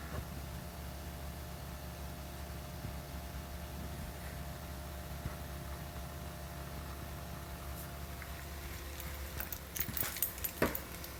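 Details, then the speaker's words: 2020 Toyota Corolla parked with the engine off, about 7 hours after shutoff: a steady low electrical hum with a faint higher whine from somewhere inside the car; something is still running. "That's the sound. Something is running on this car."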